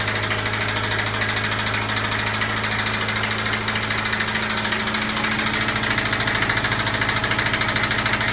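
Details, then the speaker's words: 2004 Subaru Legacy B4: sharp, regular knocking about three times a second over a rough running engine that starts poorly, especially when hot; fourth cylinder suspected, engine to be removed and torn down to find the cause. "всем здарова меня зовут леха сегодня у нас вот такой пациент стучащий дико мотор и плохо запускается двигатель"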